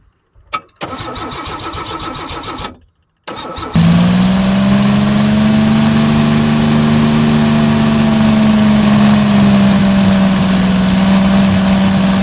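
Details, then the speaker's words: 1986 Chevy 2.8 V6 just converted from TBI fuel injection to carburetor, first start: cranks, catches and holds a steady fast idle that never drops; idle speed set too high, needs idling down, but it runs. "As you can tell, it needs to be idled down a little bit, but it runs. It's better than TBI"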